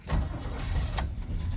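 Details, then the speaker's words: Square-body truck cold start in snow with thick oil, choke still not fixed, a couple of throttle pumps first: short sluggish crank with an uneven catch, struggles to fire, then runs real rich; hard cold start from faulty choke. "I still haven't fixed the choke you have a couple pumps you can hear it squirt"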